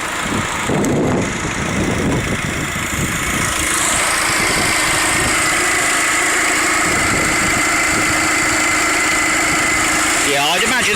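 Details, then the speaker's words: Peugeot 307 SW 2.0 HDI diesel, 165,000 miles, engine cover off: steady, even idle clatter with no misses, knocks or hunting; running beautifully, sounds perfect. "But that's running beautifully. I know the cover's missing off the top, but there is no doubt that sounds absolutely perfect."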